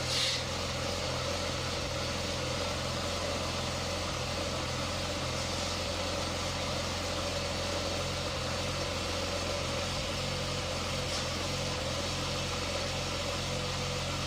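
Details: Car idling while steering wheel is swept lock to lock repeatedly during power steering bleeding with a hand vacuum pump, no major air in system: steady idle, smooth constant pump hum, no groan or whine; normal power steering pump operation.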